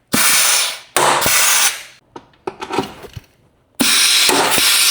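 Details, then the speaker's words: Heavy structural rivet gun setting glued rivets in the crash-repaired front end of a written-off Range Rover. Hiss-and-pull air bursts, each ending in a sharp snap as the rivet pulls tight and the panel is pulled in. Normal rivet setting. "Nice. It pulls it in. You can hear it. I love how it pulls it in. Perfect."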